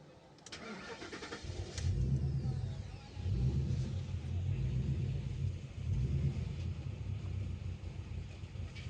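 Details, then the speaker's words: Petrol car fitted with a Corolla engine cranks, catches, then runs rough and uneven with stumbling dips; code P0300 random/multiple cylinder misfire; mechanic suspects an electrical fault or short, computer scan pending. "ايش مشكلة؟ في تقطيع هذا."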